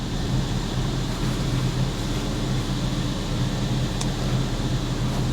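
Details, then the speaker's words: Keyless Suzuki Swift SZ4 4x4 petrol, 33,219 miles, sold as non-runner, almost no fuel, started after re-pairing key: steady, low, even idle rumble with no knocks, misses or squeals; sounds decent, normal idle. "Sounds like the wheels are spinning to me. But yeah, it sounds decent."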